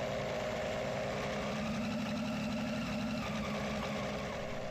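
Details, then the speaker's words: ReDrive belt-drive engine unit, run with belts aligned, not yet tuned: smooth steady low drone with no knocks or rattles; running evenly, normal idle. "it's still not tuned yet but anyway that seems to be running"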